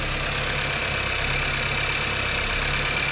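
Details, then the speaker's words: 2018 Skoda Octavia 1.5 TSI (about 110 kW), after repair of its engine knock with copper grease: even, steady, quiet idle with a smooth low drone and no knock or rattle, no play left. Normal healthy idle. "Powinno teraz hałasować jak skurczybyk a teraz jest cichutko tutaj nie ma ani grama luzu nie hałasuje"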